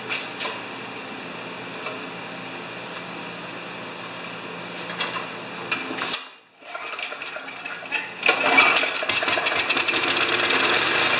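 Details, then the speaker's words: Murray mower with Briggs & Stratton engine: quick, even patter, brief cut-out, then restarts into the same steady beat; running like a champ, handle vibration of unknown source judged nothing to worry about, though the carburetor is later found faulty. "Anyway, it's running like a champ. I got a handle vibration. I don't know where."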